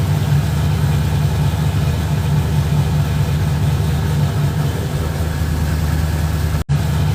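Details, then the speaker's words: Car after ignition coil connector repair, idling with hood closed: steady, even low rumble with no misses, knocks or ticks; normal idle. "And that's how she sounds closed up."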